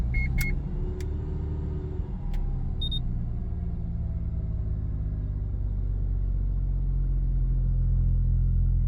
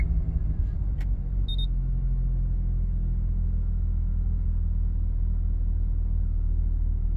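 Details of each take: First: Mazda FD RX-7, mostly stock with catback, dead cold start: idle oscillates quickly up and down with slight shaking. Only happens cold; fixed by re-enabling the double throttle control system, replacing its vacuum line and check valve. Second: Mazda FD RX7 rotary, otherwise stock except catback, at a dead cold start after re-enabling the double throttle control system and replacing a vacuum line and check valve: steady, even idle with no oscillation or shaking.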